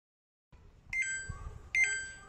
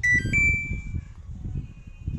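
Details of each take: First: Samsung top-loader washing machine giving two identical high, clear beeps about a second apart, its IE/OE error alert, which persists even with the pressure switch connected; faulty PC board (motherboard) suspected. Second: Samsung top-loader washing machine after replacing an IC on the main PCB to cure IE/OE error: clear chirps at switch-on, low motor rumble, no error tones; board powers up normally.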